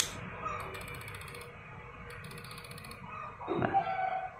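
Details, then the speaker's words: Sony FE 28mm f/2 lens with aperture not read by camera, mic held close: quick bursts of light ticks about four a second from the lens at power-up; aperture mechanism chattering. "eh F tidak terbaca dan juga E ketika kita Nyalakan ee di lensa terdengar suara tek tek tek seperti itu ya"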